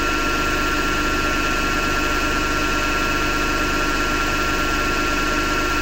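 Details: Hotpoint Ariston FMD963 washing machine running with continuous rough grinding over a steady hum; owner thinks it comes from the motor rather than the drum and plans to remove the belt to test.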